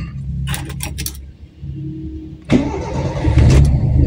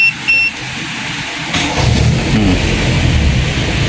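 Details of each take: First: Toyota Corolla with 2E engine, hot restart after a short shopping stop with temperature gauge raised: keys rattle, starter cranks long before catching into a rough idle; long cranking, suspected faulty solenoid valve. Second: Toyota Corolla 2E engine, hot restart without pressing the gas after discussing the fuel cut-off solenoid on the carburettor primary circuit: short crank, engine catches quickly and runs steadily; hot start now normal.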